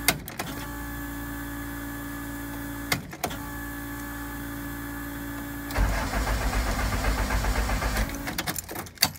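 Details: Honda CRX with new plugs and a new ECU fitted, chip transferred over, after a misfire: steady starter whir with a couple of catches, then a rough burst of uneven firing that never settles; cranks but won't start, cause unknown.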